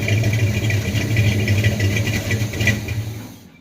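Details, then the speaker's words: 1978 Chevy C10 350 V8 after new Edelbrock intake, water pump, belts, thermostat, hoses and valve covers: even, steady rumble, no popping or backfiring through the carburetor; earlier misfire gone, normal idle. "God, that sounds good. So sweet. Heck yeah, I guess that means that it all the timing and everything is in place where it should be. It's not popping, backfiring, or anything through the carburetor."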